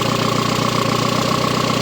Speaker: El ralentí está normal, como debería